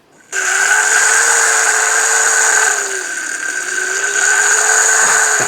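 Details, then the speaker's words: Small brushless water pump from an underground bunker dig, failing from pumping unfiltered dirty water, run up: high whine with a shrill upper tone and a wavering pitch, rough and worn. Failing pump motor. "You know, there's not a healthy sound, is it?"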